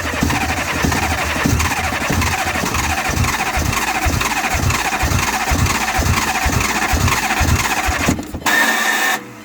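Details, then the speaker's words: Fiat Grande Punto 1.2 petrol with a no-start/immobiliser fault (codes U1701, C1212, U1702, U0426), caused by an oxidized broken wire: engine idles with a steady, even beat on a 12 V probe, then dies when it is removed; wire confirmed as the fault. "as you can see it works as soon as I like 12 volt off dies so this wire is repaired"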